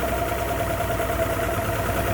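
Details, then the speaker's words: 2009 Mercury Optimax 250 ProXS DFI outboard at about 570 rpm idle just after startup, warming from 120 to 140 degrees, after replacing torn fuel and air regulators with a new fuel rail: smooth steady idle, clunking gone. "Yeah, sounds fantastic. Clunk's gone."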